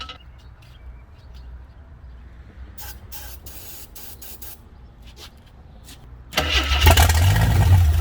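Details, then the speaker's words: 1983 AMC Concord Limited, 258 inline six, driveshaft out; after quiet clicks the engine catches on ether sprayed into the carburetor and runs rough and loud; won't run without fuel fed in by hand, carb needs going through. "Won't even consider running at all without feeding fuel down it."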